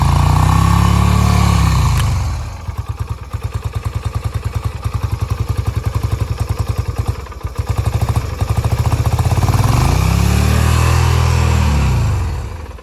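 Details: Idling engine being sprayed with cleaner to find leaks: idle surges and dips as the spray hits the leak, a steady chug pointing to big vacuum leaks.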